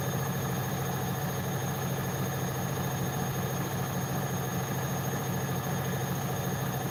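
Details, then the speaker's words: Bosch WAE24364GB washing machine after a new motor was fitted, at high spin, above 500 rpm: smooth, constant drum drone with no bangs, thumps or stalling, not tripping anything; running normally. "All right, let's see how it gets those on the high spin. It's about 400, I think. Name is Jack or Jack's and Jack's Bosch. It's above 500 now. It's not tripping anything."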